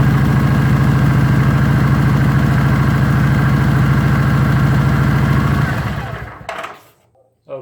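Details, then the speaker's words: 2019 Kawasaki Vulcan LT 900 at 6,000 miles, idling after an oil service to cycle the oil: an even, steady thumping idle, then a clean shutdown. The engine sounds healthy. "So I'll go ahead and snug that up, and now we'll fire it up, let it cycle through."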